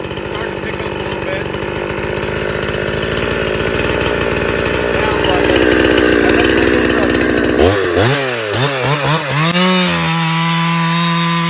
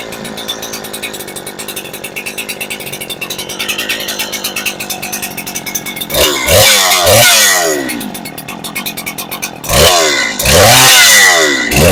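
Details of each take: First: Farmertec Husqvarna 372XP clone two-stroke chainsaw cutting up firewood (possibly ash) under load: screams steadily through the cut holding revs, then clears cleanly to a high free rev; strong, healthy saw. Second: Farmertec Husky 372XP clone chainsaw, first start after fitting a new ported cylinder kit on a fresh base gasket: strong compression, rough burbling idle, blubbery slightly four-stroking revs; high-speed mixture set too rich, kept short for the new gasket.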